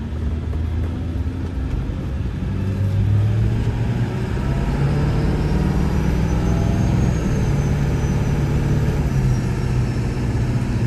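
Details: 1999 Ford F-350 Super Duty 4x4 with the 7.3 L Power Stroke diesel, 46,000 miles and an automatic, climbing a hill: a deep drone whose pitch rises evenly, with smooth drops between gears. Normal acceleration and shifting.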